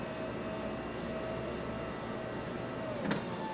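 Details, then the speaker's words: Toyota RAV4 power window closing on a hand: steady quiet motor whine, a soft bump under light pressure, then pitch changes as the glass immediately reverses down; anti-pinch auto-reverse working normally. "Okay, there was a little bit of pressure, but not too much, and as you can see, it immediately went down, which is exactly what we are looking for."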